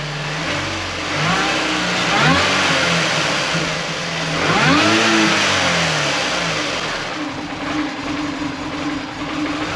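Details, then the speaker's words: Supercharged manual Mini Cooper, back together after three months with new oil filter, cooler lines and water pump: uneven, stumbling idle that surges when revved and never smooths out. Erasing codes didn't help. Misfire; the throttle body is to be removed and cleaned if needed. "Definitely sounds like it's misfiring. Were you have your scanner? Yeah. Your erasing code didn't help, so that. But I'll have to come back and tear that throttle body out and see if it needs cleaned or whatever."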